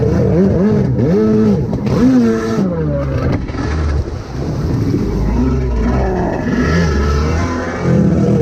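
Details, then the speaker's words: Rebuilt SuperFreak two-stroke watercraft on the water, hard to crank and running worse than before despite carb work: revs surge and sag unevenly, never steady under throttle. Carburettor fault suspected. "Now it runs like do again. Well, not that bad, but I've been messing with you getting better. Trying to crank it is terrible."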